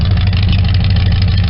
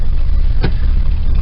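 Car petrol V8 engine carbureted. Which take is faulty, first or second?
second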